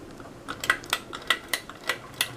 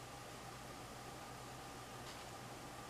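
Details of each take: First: Light metallic rattling ticks at an irregular pace, about two a second, over a faint fan hum from a 52" Canarm Victorian ceiling fan floor-tested on medium speed; the motor shakes a bit and the rattle's source is unknown. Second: 52" Canarm Victorian ceiling fan, floor-tested, running in reverse at medium speed: a steady soft whir with a faint hum. The motor does not rattle or shake in reverse. Normal running.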